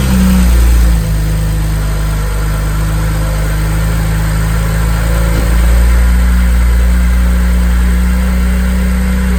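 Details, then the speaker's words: BMW N54 (335i) engine on a cold start: steady idle with a faint, even light ticking over the engine note; normal direct-injector tick of a healthy engine. "This is a really healthy N54 engine noise."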